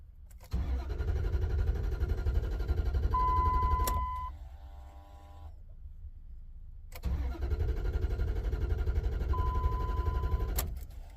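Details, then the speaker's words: Ram truck at about 261,500 miles, no fuel pump hum heard at key-on: two bursts of steady cranking about four turns a second, never fires; crank no start, fuel pump failure suspected, not confirmed. "I think my fuel pump died out."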